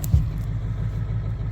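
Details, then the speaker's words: V8 diesel truck at −8° after sitting outside 3–4 hours, started with glow plugs and two new batteries. It cranks twice as fast, then settles into a low, even rumble firing on all 8 cylinders with no smoke: healthy running. "Well, friends, this thing turns over at twice the speed. I don't know if you guys could hear that. It fired up, but here's the main thing. It fired on all 8 cylinders."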